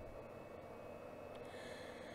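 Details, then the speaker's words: MFJ-4245MVP power supply at first power-on, set in the voltage detent: soft steady airy whir with a faint constant high tone from the cooling fan, no rattle or scrape; fan running normally. "but the fan is making some noise"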